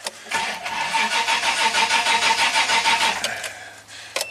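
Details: 1988 Toyota Land Cruiser with a 4 L fuel-injected inline six, likely sat about 20 years; it ran briefly, leaked coolant and overheated: the starter cranks about three pulses a second for three seconds and never catches.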